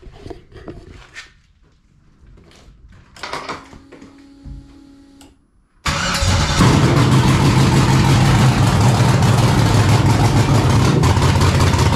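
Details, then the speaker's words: 1999 Pontiac Firebird with swapped LS LM4 V8, first start on makeshift fuel system (factory V6 pump and return lines to truck fuel rail), no cooling system, untuned and running very rich: starter cranks briefly, engine catches and settles into strong steady low rumble; starts and runs. "so yeah dude woo she's a runner I was super pumped when she fired up"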